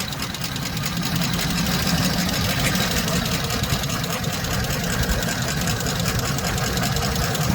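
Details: 2007 Chevy Express 3500 van at idle with a little gas, before treatment and still on old oil: a fast, light ticking keeps time with engine speed. No smoke, and it runs smooth; the owner had hoped it was a pulley. Sticky hydraulic lifter tick.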